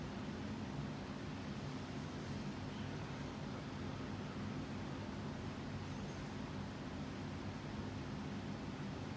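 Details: JCPenney Air Cool 52-inch spinner ceiling fan, circa 1983-84, restarted on low: soft even whoosh, faint hum, no ticks or scraping; runs smoothly.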